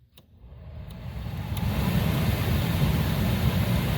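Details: Saturn Astra cabin blower, key on with AC on after cabin air filter replacement: fan spins up over about two seconds to a steady, even rush with no clicking or rattling; blower running normally.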